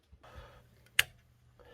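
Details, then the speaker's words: Honda Civic hatchback build, starter reportedly tested good by a parts store: sharp single solenoid clicks about three-quarters of a second apart with no cranking; owner suspects a dead or weak battery. "so i got power this is what happens so you can hear the solenoid clicking now a lot of times usually when that happens it means uh that the battery is dead or there's not enough juice in the battery to turn the motor"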